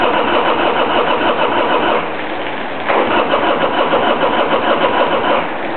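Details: 1999 Harley-Davidson Sportster XL starting hard after sitting idle a couple of months: engine churns and catches unevenly with surging mid-pitched chatter that fades and returns, slow to settle.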